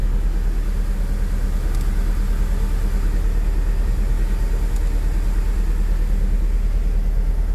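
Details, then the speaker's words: Mitsubishi Cedia 4G15 GDI engine started cold: idle with low, uneven chuff about three times a second and a lumpy, unsteady beat; a cylinder is suspected not to be working, not yet confirmed. "probablemente hay un cilindro que no trabaja vamos a ver qué cilindro vamos a ver en qué estado se encuentra"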